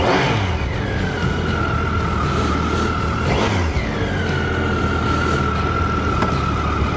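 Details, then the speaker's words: Brand-new 2014 Triumph Tiger 800 ridden from the dealer: clean whine rising in pitch with each pull, dropping at each shift and rising again; smooth, healthy engine under acceleration. "Listen to that whine."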